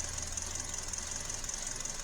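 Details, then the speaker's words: 2012 Hyundai Elantra with codes P0301–P0303 at idle, customer says plugs are new: steady idle with a faint uneven pulse and slight stumble; cylinder 2 has a dead misfire, sparking outside the cylinder. "There is a dead misfire right there on cylinder number 2, sparking outside the cylinder."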